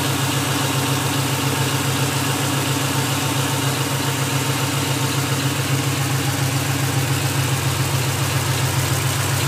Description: Clicks then stops. Clicks then stops / What is it?